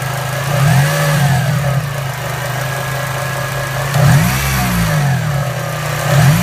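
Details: 2002 Acura RSX Type S: thin whine over the engine rising and falling with rev blips, from the serpentine belt and tensioner area; belt replaced months earlier for squeaking; belt or tensioner pulley suspected, not confirmed.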